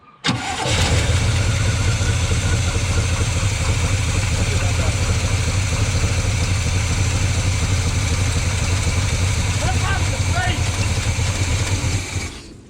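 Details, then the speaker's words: 1972 GMC ramp truck, 454 Chevy big-block, running off a boat tank: catches and runs steady about eleven seconds, then fades and quits; fuel starvation because the fuel pump was never hooked back up. "Oh yeah, we never hooked the fuel pump back up. That's why it only ran so long. Ran it out of fuel."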